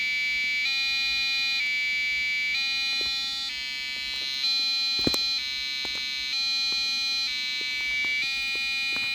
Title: eMachines K7MNF-64 Motherboard Buzzing Noise Problem